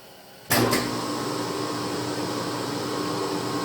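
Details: 10 HP phase converter idler motor after being opened up and repaired to stop its squeal; it kicks on with a thump and settles into a smooth, even hum with a faint steady tone, no squeal.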